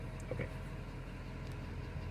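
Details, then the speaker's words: 2013 Ford F250 6.7 diesel restarted after exiting a scan-tool crank-no-start output test; low steady rumble, even beat, no knocks or misses; normal idle. "yeah and it does you hear it it's running"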